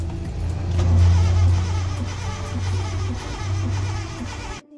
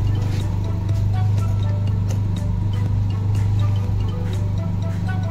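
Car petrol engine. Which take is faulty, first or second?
first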